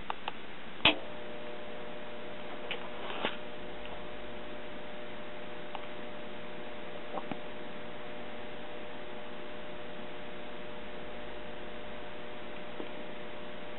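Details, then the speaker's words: Late-1940s GE tube radio chassis, recapped with new volume control, warming up with volume fully down: low steady mains hum with buzzy overtones. Sounds like filter-capacitor hum; actual fault was filter capacitor negatives wired to chassis instead of B- circuit ground. "that's with the volume all the way turned down that definitely sounds like a defective filter capacitor"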